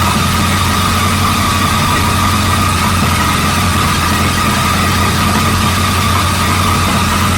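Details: 1937 Buick Roadmaster with a fast, even idle hum that never settles, with a faint whine on top; an unused starter solenoid holds the throttle open too far regardless of idle screw setting and is to be disconnected.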